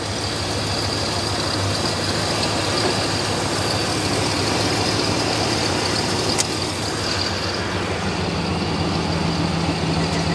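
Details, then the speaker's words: 1969 Dodge Charger (General Lee) V8, revived after years abandoned, idling in neutral after topping up transmission fluid: steady even idle, smooth low rumble, no misses or knocks; normal idle, runs like a new car. "it's like a new car look it run so smooth he hasn't even fallen off the roof yeah Hulk is just he's Rock Solid right now"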